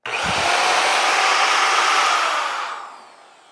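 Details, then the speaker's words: Corded ALLOYMAN 7"/6" variable-speed (1–7) car polisher running free off the pad: a smooth, even motor whir with a faint steady tone and a clean wind-down, no grinding or rattle. It sounds okay and doesn't feel cheap; the trigger sounded crunchy when unplugged. "I'm not going to set it on the pad so I mean it it sounds okay it don't feel cheap"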